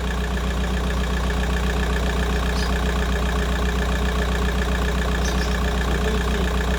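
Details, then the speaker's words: VW Golf 4 idling cold after replacing the water pipe seal on the cylinder head to fix a coolant leak, no leaks found, left running to reach 90°: steady, even idle, low smooth hum, no knocks, ticks or hunting; normal idle. "Donc les amis, je vais laisser tourner jusqu'à que ça chauffe, jusqu'à que ça atteigne la température 90."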